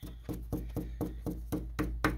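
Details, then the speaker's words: Baldwin Model E piano soundboard with hairline cracks and weak glue at the rim: steady light taps about four per second beside a crack, each with a brief rattly buzz; the board has come off the rim on either side of the crack. "so the sound boards come off the rim on either side of the crack"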